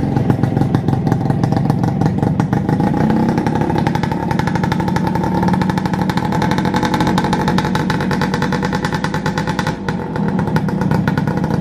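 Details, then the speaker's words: Suzuki Satria Hiu two-stroke, first start after a full engine rebuild, now being run in. It was very noisy before; it now idles steadily and smoothly with a crisp buzzing exhaust and no knocking or rattle. "jadi yang kemarin kan suaranya bunyinya berisik banget parah banget dan sekarang kita akan coba hidupin gimana untuk suaranya"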